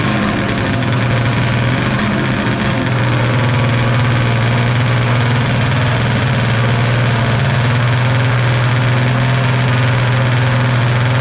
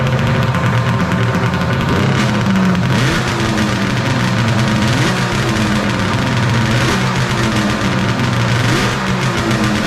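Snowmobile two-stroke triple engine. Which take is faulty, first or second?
first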